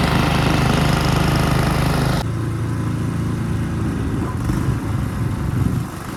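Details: Ariens two-stage snow thrower model 11528 with old Tecumseh engine, in drive with auger locked blowing snow; steady drone drops in pitch as load comes on then holds even without misses or knocks; normal running under load.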